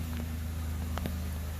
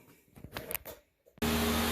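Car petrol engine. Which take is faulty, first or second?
second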